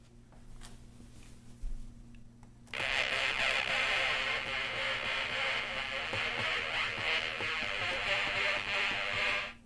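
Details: Water-damaged former tweeter speaker after DIY paper-cone repair, fitted in a synth: after a quiet start, plays buzzy synth tones clearly, thin and treble-heavy with almost no bass, working again.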